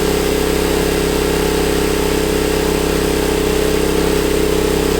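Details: Honda EB1400X generator that previously wouldn't put out power, now making power: steady even drone with constant hum, holding speed smoothly without surging, reading 112 volts at about 60–65 hertz; AVR still needs adjusting.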